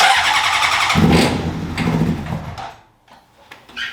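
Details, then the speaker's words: 2003 Honda CBR600RR, first start in 18 years after new ECM, fuel pump, relays and battery: quick starter churning about three beats a second, a brief rough catch, then it dies; owner suspects the injectors are cutting out, smells of fuel. "Sounds like the injectors are just stopping. I mean, I don't know why it's not."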